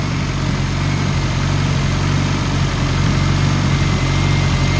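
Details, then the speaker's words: Turbocharged Honda CR-V at a steady, deep idle on its first start after the turbo install with a basemap upload: an even low rumble with no knocks or whine. Oil pressure reads 75 psi, and the note is deeper than the raspy, whiny sound before the turbo. "and uh it sounds way deeper with a turbo on it because before it was raspy as a clock and it was winging yeah wingy raspy whatever you want to call it sounded like Dookie now it sounds food"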